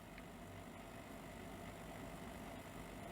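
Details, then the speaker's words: Sony SL-F1F SECAM portable Betamax after replacing five 10 µF 16 V capacitors: a quiet, even motor hum with a faint thin whine and a slightly laboured note. Deck motor runs normally, straining slightly. "on we have magic can't believe it so is literally those five caps do them all yeah it's going to struggle a bit cuz it's running in a really weird"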